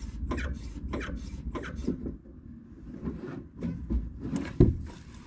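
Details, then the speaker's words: Jeep Gladiator Mojave left rear shock absorber, removed from the truck and pushed by hand, not yet cleaned or lubricated: dry rasping squeak about once a second with each stroke; owner suspects overly tight seals rather than a bad shock. "So if you heard that, the left side's squeaking pretty good."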